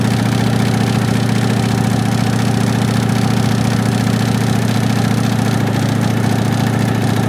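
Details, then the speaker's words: 1965 Ford Mustang coupe V8 run with the transmission removed and no exhaust, RPM held: loud steady roar with a dull regular knock underneath, felt at the front of the oil pan; source not yet pinned down. "we have to run because we need to find screw if it's still knocking"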